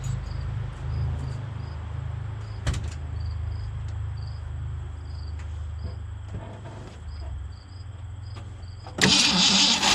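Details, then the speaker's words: 1965 Mustang 289 V8 at its first start after a camshaft replacement, after sitting a while, given some gas. Uneven cranking for several seconds before it barely catches; fuel not yet pumped from the tank to the carburettor: slow start. "[Applause] well that sounded pretty good it just needs a little time to pump up some gas from the tank to the carburetor i'll give it another juicing fire it one more time"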